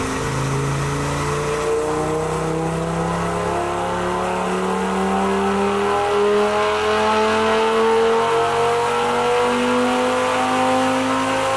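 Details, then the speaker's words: Audi RS3 DNWA 5-cylinder, Stage 2 tune with high-flow downpipe, full-throttle dyno pull: 449 bhp, 684 Nm, zero timing pull; a smooth rising pull, then lift-off with exhaust pops from the enabled overrun. "449 brake horsepower 684 newton meters of torque zero timing pull at this level and it sounds mint"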